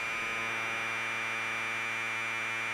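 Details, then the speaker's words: Commodore 1530 datasette playing tape during head azimuth alignment by ear: steady, even high buzzing data tone with no wavering or dropouts after the screw is backed off from the bad setting. Alignment is close enough for the program to load. "that sounds okay and that's getting bad again we just need to back it off from where it sounds bad and see if it works"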